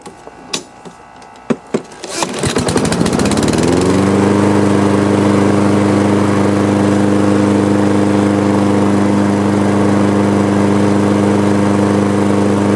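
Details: Husqvarna AWD riding mower after cleaning mud-clogged carburetor, previously running rough: a few clunks, then engine catches and settles into steady, even drone with no knocks or misses; running normally.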